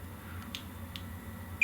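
Three short, high, clean beeps as the probes touch, so the continuity tester is reading a solid ground connection.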